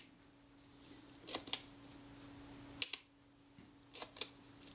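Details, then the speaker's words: Kodak Retina IIIc shutter at 1/15 s after escapement pin adjustment: sharp paired clicks a couple of seconds apart, each opening and closing crisply and evenly; timing pretty credible, close to correct. "that's pretty credible i think i'm just about there"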